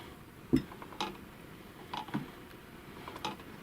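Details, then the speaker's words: Chaika 2 sewing machine after the play at the zigzag cam was reduced with a washer and screw: sparse light taps, one or two a second. The knock is improved but a faint cam follower knock remains. "После таких манипуляций стало лучше, друзья, но полностью устранить стук всё равно не"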